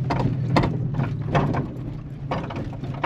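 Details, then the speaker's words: Car rolling with hollow clunks and rattles about every half second over low road rumble; owner plans to replace the rear suspension, cause not confirmed. "we about to get all that noise yall here fixed we going to keep this in the in the video sometimes I'll be editing editing out cuz that should be a little clunky but we going to get all that [ __ ] fixed we going to order the rear suspension"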